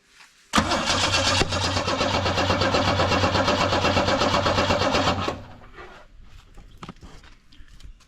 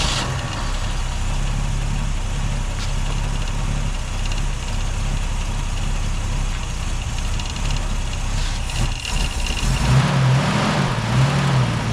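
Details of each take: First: UC Torana with electronic ignition: starter spins at a steady even cranking rhythm about five seconds, never fires; spark confirmed, compression and fuel to be checked next. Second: Holden UC Torana idling off a temporary fuel cell, original tank fuel pump disconnected: steady low even idle, slight rise in speed near the end; runs smoothly and sounds healthy.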